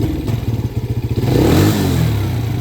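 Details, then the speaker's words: Can-Am DS90X youth ATV after idle adjustment, with the screw backed out 1.5 turns; it idles well. On a throttle twist the revs rise, then skip, stumble and sag briefly before recovering. Throttle hesitation or flat spot, a dead spot that was always there. "Let's give her a little rev check. Let's twist her here. Okay. Oh, little skip there. M. There's that dead spot. It was always there."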